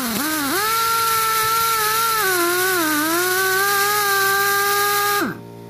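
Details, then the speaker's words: Chicago Pneumatic CP734 1/2-inch air impact wrench, after Marvel Mystery oil flush and refill with SAE 30 non-detergent oil to fix a click, free-running on a marginal compressor: steady even whine, slight hitches, no clicking, smoother and quieter; running smoothly. "It's got a little couple hitches in there. It's not clicking anymore. My compressor's not enough to really keep up with these things, but I can just tell they're a lot smoother and a little quieter too."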